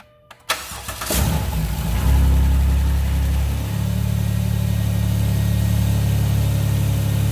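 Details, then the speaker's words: 2010 Dodge Grand Caravan, 3.3 L engine with automatic FWD transmission, after a rebuilt starter motor is fitted and the battery reconnected: brief starter cranking, then the engine catches, flares and settles to a steady low idle; the starter works properly. "So, as for this video, we are good to go. The thing starts, it runs."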